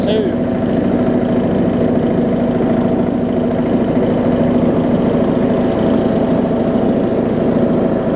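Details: Rebuilt John Deere D110 mower engine throttled down to idle after test driving: a steady, even low putter with a little rumble and no misses or knocks, so the idle is normal.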